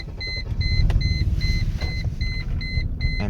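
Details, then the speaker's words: 1999 Mercedes-Benz E320: deep, lumpy, shaky rough idle under a repeating warning chime. The car shakes badly, stalls and barely moves in Drive; cause unknown. "all right so I have a 1999 Mercedes e320 problem is is that it really is rough idle and it doesn't want to go anywhere"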